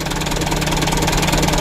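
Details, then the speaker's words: Young Mitsubishi Canter 136 PS HDL diesel truck (2021/22), adjustment still factory-set; loud lumpy jumping idle, cannot hold 600 rpm; rough idle, mechanic suspects fuel filter change overdue or heavy loads. "Wah, lompat-lompat mesin teman-teman, jeglek-jeglek begitu. Padahal untuk pelonyornya belum disetel, masih bawaan pabrik begitu."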